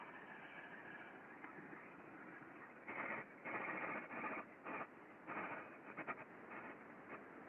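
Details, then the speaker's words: Ultrasound recording of a slow-speed (4 RPM) bearing at the back of a spool stand in a roofing-material plant: irregular rough metallic scraping over hiss, the bearing moving in its housing and lacking lubrication, unlike the smooth opposite bearing. "so you can hear quite clearly that kind of scraping metallic noise as it is turning so the bearing is actually moving in the housing um there's a lack of lubrication there just doesn't sound very healthy from a qualitative standpoint"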